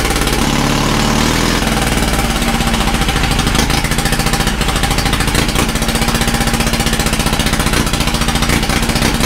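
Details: Caterpillar D2 5U7968 first start after pinion repairs and carburetor rebuild with new shaft seals: small engine chugging at a fast, steady idle, even beat, no misses or knocks; idles well.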